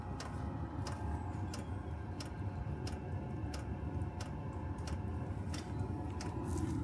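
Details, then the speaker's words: Chinese 12 V diesel heater running on kerosene, outside a caravan, just after priming: even pump ticks about every half second over a low fan rush as it fires; normal startup. "Tapping noise, I think, is the pump. Something's fired."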